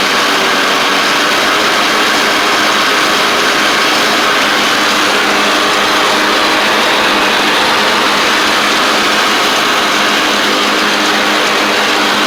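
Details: Cub Cadet Ultima ZT1 zero-turn with a bent 42" deck and badly worn blades replaced, deck test: steady, even engine drone with blades whirring smoothly, no scraping or strikes. Normal deck operation; blades stay engaged with PTO off, suggesting a faulty PTO clutch.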